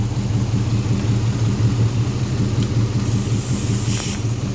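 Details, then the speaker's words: Homemade V8 racecar on first run with little fuel: deep lumpy, stumbling idle, roughly two to three uneven thumps a second; sounds like a bad misfire, vacuum leak at brake booster suspected, unconfirmed. "uh it's idling it sounds like it's got a nasty misfire"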